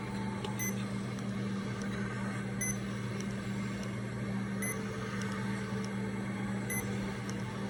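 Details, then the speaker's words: Remodulin infusion pump self-tested, reserve volume 100, air detector off, priming its line: quiet steady motor hum with a soft click about every two seconds, normal prime. "now it's doing a self test please wait now we're ready to prime the line so we're gonna prime it"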